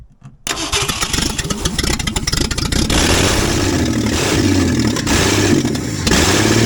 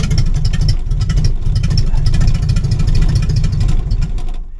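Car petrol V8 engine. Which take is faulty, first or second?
first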